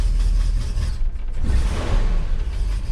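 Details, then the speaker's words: 1978 Ford F100 with a Holley carb, just reassembled; a lumpy, lurching heavy misfire. Owner suspects a bad pickup coil, or possibly a small part broken during the work. "misfire that does not sound good at all either that pickup coal is bad"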